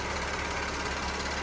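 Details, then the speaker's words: 2013 Volkswagen CC Lux 3.6 after engine rebuild, first run at idle: fast, light, even ticking over a smooth idle, crisp and regular, not the earlier timing chain rattle; normal direct injector noise from the top of the engine. "That click you hear when we go back to the very first video, or the second video when I first did videos on this car, and you remember hearing the timing chain rattle in there? This is not the timing chain. This is actually, you can hear the injectors."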